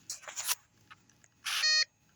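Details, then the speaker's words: Off-grid PV test station, inverter powering a 300 W bulb (about 293 W draw), battery sagging to 11.8–11.7 V: short high beeps, inverter low-voltage alarm; battery is the issue. "so just that one bulb is putting quite a biggest quite a big strain on that battery and you can hear the beeping on the inverter the inverter is reading or it knows that the voltage is too low so the battery is the issue here"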